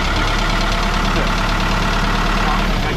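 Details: Putzmeister TK50 concrete pump diesel started via key switch and start button, no warm-up needed; it picks up and holds a constant, even drone with no surging or knocks, ordinary start and idle.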